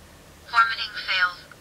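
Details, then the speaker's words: IMOU S400 Pro dash cam on a 5 V USB supply drawing about half an amp: a short synthetic voice prompt in a quiet room says SD card formatting failed, so it cannot format the SD card supplied with it. "did you hear that formatting failed it can't format the SD card"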